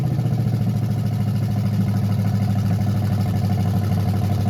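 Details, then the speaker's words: 1968 Chevelle with used small-block Chevy V8 swap, Edelbrock carburetor, cheap headers, first start: V8 idles steady and low with a slight lumpy pulse, running again after carburetor trouble; rough idle. "Yeah, that's just not getting fuel. It's a carburetor issue for sure."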